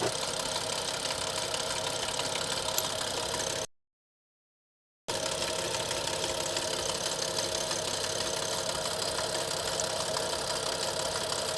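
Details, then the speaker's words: Audi S6 that sat for months, rattling after a highway drive, microphone at the front timing cover: a steady rattle of about three taps a second over idle, louder underneath, worse than before; cause unconfirmed. "Also, ich würde sagen, das kommt von hier vorne. Kommt irgendwo hier vorne her."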